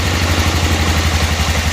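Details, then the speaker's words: 1988 Club Car golf cart, 8.5 hp Kawasaki engine, barn find: idle raised, idle mixture screw backed out, in gear, warming up before lean-drop carburetor adjustment; quick regular single-cylinder thumping, steady, no misses or hunting, idling cleanly. "evidently we're in gear it's running good see we can adjust the carburetor a little bit starting to warm up"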